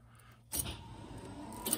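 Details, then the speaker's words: Restored Rolls-Royce Mulliner Park Ward drophead coupe, off the road 19 years, electrical checks: silence, then a sudden steady motor whir with a light sweep and a click at end of stroke; windshield wiper motor working normally. "oh you guys hear that what on earth is that oh it's my windshield wipers"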